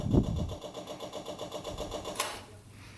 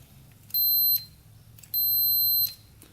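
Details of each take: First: Long-sitting custom tractor with swapped 500cc Honda motorcycle engine, fuel line disconnected: fast steady ticking buzz as the electric fuel pump runs, pumping out rusty, water-contaminated fuel; pump working. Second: Electric start button on a custom pulling tractor with a swapped 500cc Honda motorcycle engine, long unused and not running: tester gives two short high beeps, the first under half a second, so the button makes contact only intermittently.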